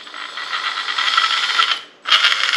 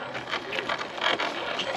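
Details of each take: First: Carisma SCA-1E Toyota Tacoma TRD Pro RC crawler, first drive: high rough gear whir with ratchety rattle in bursts; not smooth, owner suspects too little grease in gearbox. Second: Carisma SCA-1E Toyota Tacoma TRD Pro RC crawler on trail after greasing the dry gearbox: light electric whir with soft gear chatter while crawling; smooth, quieter than before, no grinding.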